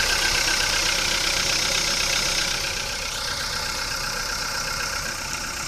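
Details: VW Polo Sedan on Lukoil Genesis Armortech 5W-40, 5,000 km on this oil, cold start after two days parked. Fast light ticking about four per second that fades after a few seconds. Hydraulic lifters tap until oil pressure builds.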